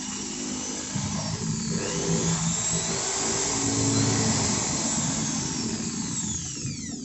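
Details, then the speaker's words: Maktec 10 mm corded drill (MT60-series) at its lowest speed after tightening the four centre body screws and adding packing: even hum with no rough growl, and expected no longer to overheat. "Nah, di RPM rendah atau di speed yang paling lambat. Suaranya sekarang udah enggak terdengar ngorok seperti tadi ya, Guys."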